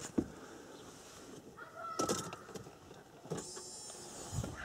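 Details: Mercedes W210 with a newly fitted Bosch fuel pump, replacing an old pump that had whined loudly for a year, then went silent and the car wouldn't start: faint short priming whir under clicks, nearly silent, as it should be.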